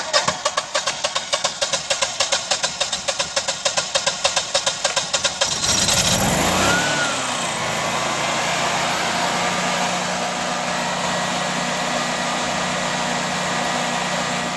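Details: Generac generator after valve adjustment and JB Weld repair of its cracked cylinder head; steady cranking clicks about three per second, then it catches and runs smooth and even with no knocking; normal start and run.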